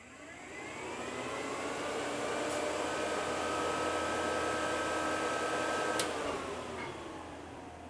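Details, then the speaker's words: 1975 Chevy C10 twin electric cooling fans on separate fused relays, quick operation test: fans spool to a steady even whir, hold speed, then coast down smoothly; both healthy. "In case something happens to a fan, it'll just blow one fuse and the other one will keep going. Hopefully enough to get us home. And a real quick op test, so you guys can see that they actually work."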